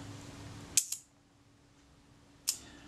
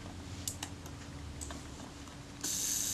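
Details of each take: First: Kodak Retina Reflex type 025 during servicing, shutter cleaned and tested out of the body: crisp clean snap with a quick follow-up click, then another sharp release; shutter fires well with no drag. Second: Kodak Retina Reflex type 025 camera shutter during servicing, self-timer just installed: fast buzzing gear-train whir that falters and stutters in short bursts near the end; hesitant self-timer.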